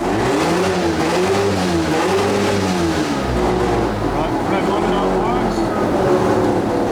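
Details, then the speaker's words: Mazda FD RX7 13B-REW rotary on methanol, boosted run on the trans brake with added boost, air-fuel ratio and EGT fine: loud buzzing pull, pitch rising and falling under load, even, no misfire or popping. Normal running under boost. "Running up on the trans brake, did an initial test at 8 pounder boost, that worked. Another one at 12, that worked. Another one at 14, and that worked as well."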